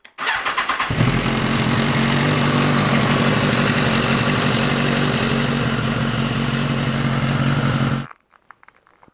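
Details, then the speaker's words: Salvage crash-damaged BMW S1000RR after fresh oil and filter change, run briefly to circulate oil before rechecking level: catches within a second, steady even run, no knocks or rattles; healthy. "so I'm going to give it a little run up get the oil flown around the engine um and then I can recheck the level take that one off my list of jobs"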